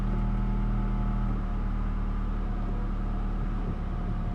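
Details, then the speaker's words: 2011-2016 Scion tC 2AR-FE after water pump replacement for bad pulley bearings: steady low idle hum, even pulse, no whine or chirp; noise first suspected as input shaft bearing was the water pump. "wow I honestly thought I had the stupid input shaft bearing noise and it was the water pump all along"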